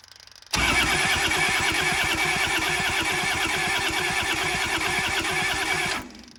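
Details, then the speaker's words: Kubota L285 four-cylinder diesel tractor after 8+ years sitting: steady fast cranking about three strokes a second, no firing; air in the fuel lines at the injectors and a leaking fuel line. "All right, seems like we're not getting fuel, so I'm just gonna crack these injectors, see if there's any air or anything in there."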